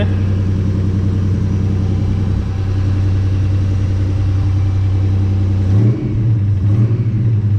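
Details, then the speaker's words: Nissan Navara with replacement VG30 V6 and new turbo, first start: deep, even engine note with smooth rev blips, no knocking or misfire; new engine running healthy, timing roughly set. "well it sounds really good I'm really excited so I better turn it off actually"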